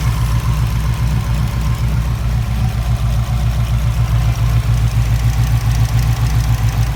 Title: Wanbro 400 l/h in Subaru WRX many pulsation engine error misfire and TIC rail